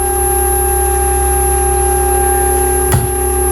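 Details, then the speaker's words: Newport NK180 kayak trolling motor run out of water without prop at up to full throttle: loud steady siren-like whine with piercing tones; resonance whine, peaking 91.2 dB, same as the on-water test, reported under warranty. "Problem number two is the noise level. Right. It wasn't just loud. It was damn release siren loud."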